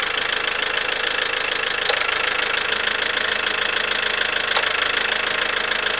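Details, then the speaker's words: Fiat Ducato diesel van idling with a clattery tick, with sharp clunks as the clutch takes up torque about halfway through pedal release; this started right after a cambelt change that required lowering the engine, and the engine mounts are okay. "the problem I'm having is when the vehicle is running I'm getting a very distinctive clutch clunk when it takes talk"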